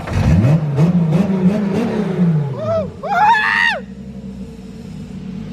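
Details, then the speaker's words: RB25DET engine swapped into an S13 with a fixed wiring harness and drive-by-wire using a 350Z pedal. Clean revs on quick blips that rise and fall smoothly with no stumble. Normal revving. "hear that drive-by wire working and all look at that look at that look at that nice 350z pedal"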